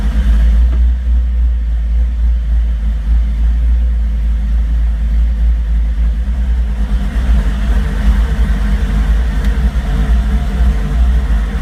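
Deep, uneven idle rumble with a lumpy, unsteady beat throughout and no clean rhythm: the engine is idling roughly, cause unknown.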